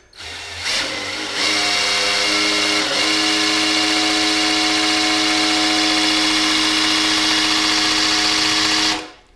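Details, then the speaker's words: 1984 El Camino refreshed LG4 305 with Vortec heads and a Summit cam, before first start: drill-driven pre-oiling of its standard-pressure oil pump gives a steady high even whine; oil pump priming normally. "It's got a standard velocity or standard pressure oil pump, and just give it a little pre-oil before we fire it up."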